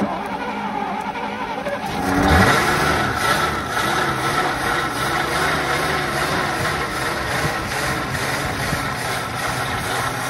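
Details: 1963 Studebaker Lark Wagonaire parked 39 years, fuel line hooked to fuel pump, carb bowl hand-filled: brief crank, engine catches, revs up, settles into a steady even run; fuel pump working, normal running after long storage.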